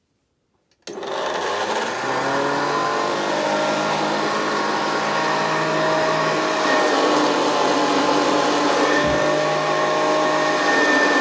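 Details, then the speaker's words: Early Hoover Senior 652 Deluxe upright vacuum switched on for the first time, likely needing a new belt: motor spins up into a steady whine with a rough rattling edge. Front motor bearing behind the fan is worn and needs replacing. "well that doesn't sound quite right does it just check check the phone how much play there is there that rare it sorry the front bearing with the one behind the fan needs replacing"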